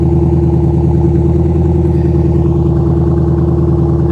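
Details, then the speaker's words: Roush 427R Mustang V8 at a salvage auction, started on jumper power, possibly fully stock, check-engine and airbag lights on: steady, even idle with a smooth low rumble and no knocks, misses or stumbles. Healthy, surprisingly quiet. "I'm surprised it's not louder this thing might be a hundred percent stock guys"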